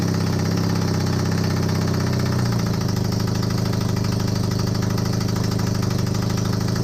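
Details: Honda CB250N Superdream twin project bike, built from boxes of bits, with new spark plugs, on partial choke. A steady, even idle with a regular low beat settles after a couple of seconds. It is running cleanly: normal idle, with a large front oil leak.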